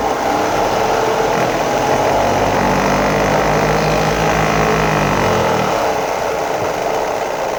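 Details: 2011 Ford F-150 3.5L EcoBoost at idle: rough, uneven knock near three a second with heavy vibration underneath. Engine knocking and vibration; source not yet identified.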